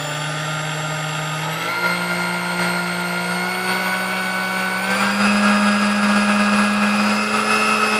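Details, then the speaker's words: Sunbeam Mixmaster Model 12 stand mixer after service for a no-run fault, beaters fitted, speed adjustment check: smooth steady motor whine stepping up cleanly in pitch as speed rises, no rubbing or rattle; running healthy. "let me throw in some beaters in here so that we can actually see the speed I mean that sounded pretty good to me alright"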